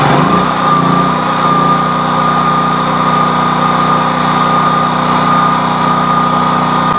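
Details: Generator engine, test start after reassembly (tank removed and refitted): catches and runs with a steady buzzing drone but speed wavers and never settles, barely keeping running.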